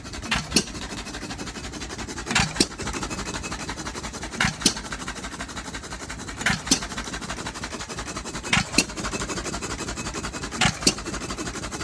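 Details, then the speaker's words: Second run of a Novo 3.5 or 4 hp hit-and-miss engine, 20-inch flywheel, just revived after water seizure and light hone; heavy smoke and oil spray, slow irregular bangs about every two seconds with quiet coasting: running all right, normal hit-and-miss. "Ooh, boy. Seems to be running all right."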